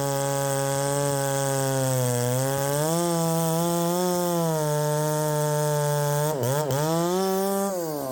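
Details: Ported Poulan 3750 chainsaw, after the loose exhaust was retightened, tune unchanged: the idle pitch drifts up and sags, with a brief stumble near the end. The idle won't settle and richening seems to load it up.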